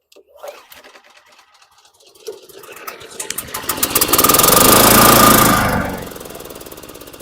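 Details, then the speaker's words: Ex-college surplus engine: quiet pulls, then catches and builds to loud steady thumping run about three per second before settling; starts and runs fine. "This thing's a giant engine. Just pulling it over and sounds like an army tank."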